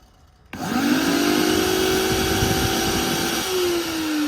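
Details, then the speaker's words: Industrial vacuum cleaner motor: spins up to a steady whine, then pitch sags as RPM drops; one rotor armature winding failing. "can you hear this sound that's one of the windings on the rotor failing"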